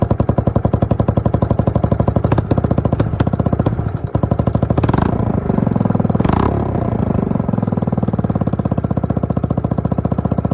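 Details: Suzuki LT250E Quadrunner single-cylinder quad after new fuel pump for fuel starvation and idle problems: crisp regular thumping, stays even through a light throttle blip and settles smoothly; fixed.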